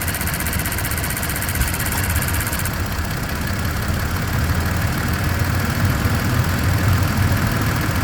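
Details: 2023/2024 Tacoma TRD OR (year given both ways) at idle, with fast, light high-pitched ticking over the steady idle that fades into the engine drone; this ticking comes and goes at points in the recording, and its cause is unknown.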